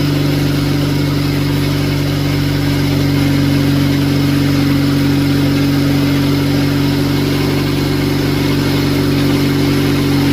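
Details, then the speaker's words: Cheap Honda Civic at exhaust after servicing fuel injectors to cure low-rev flutter: even, steady smooth idle with no flutter or stumble; engine running cleanly. "And with that, the injectors are done. And it actually sounds a lot better. There's no more flutter."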